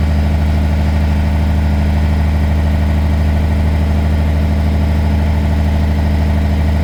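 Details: Truck diesel restarted in neutral to rebuild air pressure after re-piping the diff-lock air feed under the dashboard: steady, even low idle rumble with no knocks or misses as pressure climbs toward 120; healthy engine.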